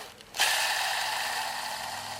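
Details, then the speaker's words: 1994 Toyota 4Runner clutch release bearing, engine removed, turned by hand: dry, gritty rasp with no smooth spin; bearing dead, it seized and burned against the spinning flex plate, ridges on clutch, clutch kit needed. "yeah hear that that means it's dead what happened is this thing would be going and then all of a sudden it would stop and then it would just burn"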